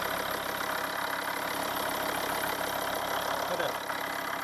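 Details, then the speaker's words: Volvo V50 D5 diesel, 142,000 miles, cold idle right after EGR valve and pipework cleaning: even idle with steady airy hiss above the clatter from low at the front; owner suspects a tensioner or pulley, unconfirmed. "hissing noise somewhere. I don't know if it's the pulley. It comes from down here. It's either a tensioner or a pulley."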